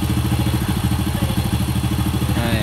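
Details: Honda Supra motorcycle after piston and cam chain roller replacement, resealed gaskets and new oil: a steady, even low thump at idle with no ticking or rattle on top. Cam chain and top end sound healthy; normal idle.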